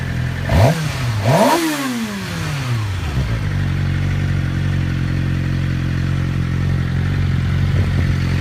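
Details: Motorcycle after whining noise and cam chain noise were cured: a couple of quick throttle blips, then a steady, even idle with no whine or chain rattle; normal running.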